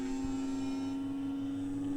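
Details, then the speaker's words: HP 8690B sweep generator, a 27 kg hybrid tube-transistor design from 1968 with 0-110 MHz plug-in, at first mains power-up drawing about 200 W: loud, steady low electrical hum with constant cooling fan rush, "like a jet taking off"; normal blower and mains hum. "And at first I'll just stick in the mains cable and oh shit, fuck. Holy moly, it sounds like a jet taking off."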